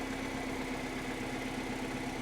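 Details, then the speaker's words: Mini Cooper R56 after replacing a faulty temperature sensor that caused a cold-start misfire: steady, even idle with no knocks, misses or ticks, throttle blips clean, temperature climbing normally; normal idle. "yeah when i was kind of like just flipping the throttle was was kind of misfiring and it's definitely behaving itself now temperature climbing as it should that sounds good to me"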